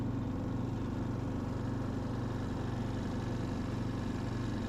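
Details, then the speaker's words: 2004 Craftsman 30-inch mid-engine riding mower built by Murray, after a new piston and connecting rod and a kill-wire short fix: smooth steady low drone, no rattle or knock; normal running. "all right we'll call it rescued it runs starts mows doesn't rattle anymore"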